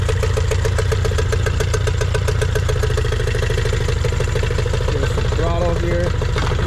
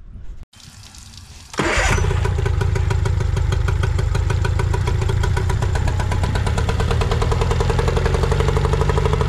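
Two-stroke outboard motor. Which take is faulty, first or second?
second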